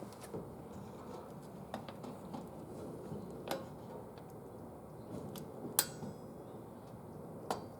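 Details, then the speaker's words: 2006 Scion xB rear drum brakes after replacing worn Centric shoes with Brembo shoes: sharp isolated clicks with each light brake-pedal press, heard from the driver's seat, as the self-adjuster turns the star wheel out; normal adjuster operation. "and you heard the click I could hear it in the driver's seat that is the adjuster working to turn the star wheel out"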